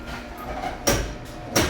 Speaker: Not sure if you can hear that, but it makes a lot of loud sounds while it's opening.